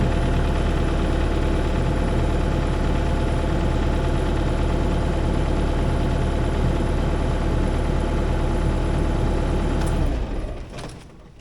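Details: CAT 305 diesel excavator after battery upgrade with freshly charged battery; even, steady diesel idle with smooth regular beat until shut off; engine running normally.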